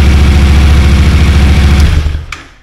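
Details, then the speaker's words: Yamaha T7 after a swap to a low-mileage motor from a crashed MT-07, first start before coolant filled and full reassembly: fired within half a crank, deep even low thump at steady idle for about two seconds, then cut off cleanly; healthy. "uh I can't believe how quick that started that wasn't even a full crank over that was like half a turn and it boom fired"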